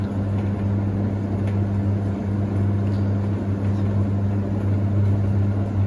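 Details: Hoover Ecologic D6722 reversing tumble dryer, after being taken apart and de-fluffed internally, test run with lid on: smooth steady low hum and even drum rumble, no knocks, scrapes or squeals; sounds much smoother than owner's own older one; normal running.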